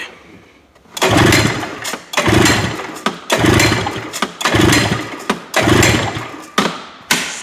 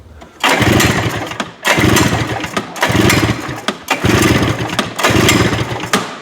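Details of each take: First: Two-stroke snowmobile, compression test by pull-starting: quick soft spins with little resistance about once a second; one cylinder reads over 120, the other about 60, so it needs a top end (piston and rings). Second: Two-stroke snowmobile pull-cranked for a compression test: five firm, even chuffing bursts; this cylinder reads over 120, healthy, while its other cylinder reads only 60 and needs a top end.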